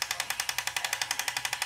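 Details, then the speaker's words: Top Race TR-113G RC front loader straining to lift a bucket after pushing into the pile: sharp even clicking about ten a second; owner backs up and retries: lift gear clutch slipping under overload. "click click click all right what I do is I try to back up a little bit try it again the only way I can get a load I keep backing up until finally I'll finally get it to go"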